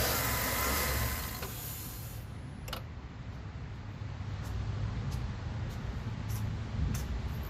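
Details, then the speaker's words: 2013 Chevy Suburban 1500 briefly started after replacing a noisy AC stretch belt, before the air intake was refitted; quiet, steady idle with no squeal or chirp. The belt stayed on, confirming the new belt is installed correctly. "Everything's intact. No belt came flying off, because believe me, if it was on wrong, it would have flew off the second you spun it off."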